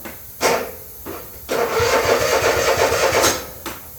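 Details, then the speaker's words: Troy-Bilt Mustang XP zero-turn mower, noted weak battery and suspected bad starter: slow labouring cranking bursts with stops, never catches; turns over easier on jump start, owner suspects weak battery, maybe starter; hard starting. "Actually, it turns over easier with this jump start. Maybe it's just that weak weak point in the battery."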